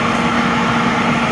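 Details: Oil furnace after running out of heating oil: steady, even motor-and-blower roar with constant low hum and no firing; burner spins while air is bled from the fuel line, which must be purged before it lights.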